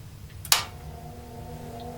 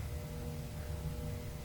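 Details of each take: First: Tektronix 547 oscilloscope cooling fan after cleaning the blades and reinstalling: click at switch-on, then a smooth whir rising steadily in pitch over a few seconds and settling; fan spins up quickly and moves air. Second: Tektronix 547 oscilloscope from a thrift shop, first switched on without a Variac: cooling fan turns with a low steady hum and faint tone, no rising spin-up; sluggish fan needing lubrication.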